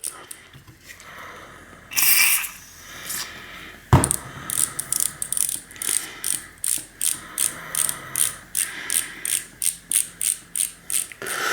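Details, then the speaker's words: 2000 Trek 6000 with Shimano FH-C201 freehub, spun by hand while being flushed: bursts of quick pawl clicks dragging in thick old grease, causing a slack chain when coasting or backpedaling. Sticky freehub pawls from old grease. "when it's fairly well flushed out it should be turning pretty smoothly and you hear the paws clicking in there and so that's a good sign that you have it pretty well flushed out"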